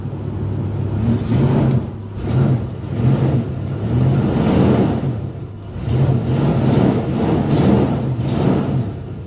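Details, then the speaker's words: 1997 Ford-based Pace Arrow RV with 60,000 miles, listed at Copart as not running, started up: a low steady rumble with a slow, even pulse and no knocks or ticks, settling into a healthy idle. "Will she idle? Yes, she will. Yes, she will."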